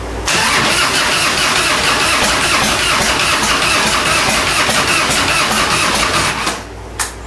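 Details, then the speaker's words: 1997 Harley-Davidson Fatboy Evo, long sitting, cranks fast and evenly about six seconds without firing after static ignition timing; carburetor suspected dry of fuel. "bet this carburetor is completely dry a fuel cuz this thing's been sitting a while"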